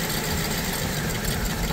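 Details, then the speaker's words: BMW E87 120i with persistent misfire despite new coils and spark plugs, two injectors switched off for testing: lumpy, uneven, stumbling idle; misfire from injectors cut out, all injectors later found working. "Yeah. Two injectors been turned off. Don't like it."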